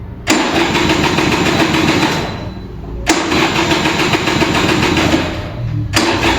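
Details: Vintage Kinetic Honda 2-stroke scooter, early-morning cold start: three roughly three-second buzzy cranking bursts with light throttle twists, weak ignition, engine refuses to fire as the battery drains.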